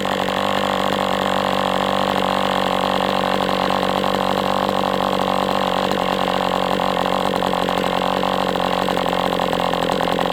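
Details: MDS 68 FS Pro four-stroke glow engine on break-in stand, after carb retuning (idle screw had been tampered with), idle bar plug removed; fast steady even buzz, no misses or surging, heavy exhaust smoke; normal running.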